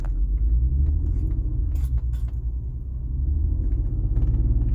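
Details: BMW 330ci petrol engine with a deep, uneven rough idle rumble, pulses stumbling and surging instead of staying even; cause unknown.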